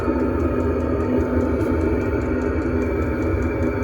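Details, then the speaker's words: Chinese diesel heater on test run, installed in a bus with exhaust muffler bolted to frame, heard outside at the exhaust: steady low combustion hum with light regular ticking, burning evenly; loud outside, inaudible inside; normal. "Well, it works. Alright, we're continuing to let this thing run. It's a little bit loud out here, but on the inside you can't hear the exhaust at all."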